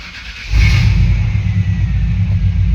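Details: 1995 Chevrolet Z71 pickup, 350 TBI engine, 205,904 miles, after transmission rebuild and fluid changes, starting up; quick catch, then loud deep rumbling burble at idle with no muffling from the blown-out muffler.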